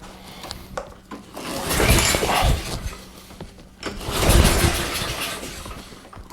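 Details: Briggs & Stratton Quantum engine on a Craftsman push mower after a broken camshaft was replaced: two firm pull-cord cranks with the compression gauge fitted, an even chuffing rhythm reading just above 60 psi; normal cranking compression.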